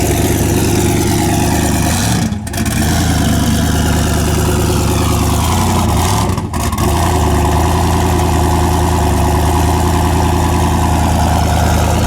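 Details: Mustang race car just after a new head gasket, first start following fuel-system priming; deep, steady idle with even unbroken pulse, no ticking or knocking; normal idle.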